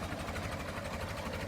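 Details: Late-1955 Farmall Super MTA diesel tractor, recorded up close at idle: steady, even, rapid chuffing beat with no knocks or misses; normal healthy idle.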